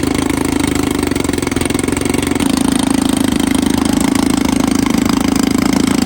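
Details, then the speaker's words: 1954 Evinrude 7.5 HP Fleet Twin outboard after ignition coil replacement, points cleaning and carburetor rebuild with new gaskets, float and needle: steady even two-stroke idle, regular firing, no misses or surging: normal idle. "Well guys, this thing actually runs pretty dang good. I think the next step is I'll put the hood on it and run it for a bit and then we'll conclude the video."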